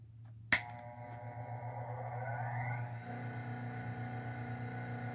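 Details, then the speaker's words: Homemade cabbing machine on an 8-inch Rikon low-speed bench grinder at 1750 rpm: switch-on click, tone rising as the wheel spins up, then a soft even hum, almost zero vibration; a healthy, quiet motor. "do you hear that there's hardly anything to hear this motor is great if you look at that water there is like almost zero vibration"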